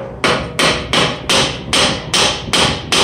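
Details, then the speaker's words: 4L60E transmission aluminum case lightly tapped with a hammer eight times: dull, chattery note instead of a clean ring, revealing a hairline stress crack with moisture seeping through after hot pressure washing. "You can take a hammer too and just slightly tap it. Excuse me. And you get a chattery sound."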